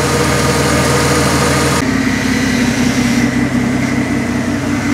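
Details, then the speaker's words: 1996 Ford F-150 4.9L straight-six, first start-up after final assembly (valvetrain, rockers, manifolds, valve cover refitted): steady even idle, lifter noise gone once oil pressure pumped up the lifters; quiet valvetrain, running normally. "the lifter noise went away finally got enough oil pressure pumped them all up uh it's running great everything's looking good"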